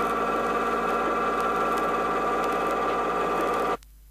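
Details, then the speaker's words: Rear axle ring and pinion with pinion moved out of the drive gear about 4/1000ths inch: steady mid-pitched whine with a definite harsh, grinding edge; gear noise from incorrect pinion depth. "At this point, the sound is increasingly audible and has a definite harshness."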